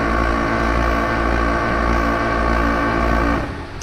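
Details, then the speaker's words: Clad Boy CB4 vacuum lifter suspended from a forklift on a Kingspan roof panel: lever in green zone, buzzer and vacuum pumps give a steady constant-pitch drone with no knocks or surges while the gauge rises to green; normal. "And as explained earlier, you simply slide this lever into the green zone, and you'll hear the buzzer running and the vacuum pumps, and I'll pan round to the front of the machine and show you what's happening as well."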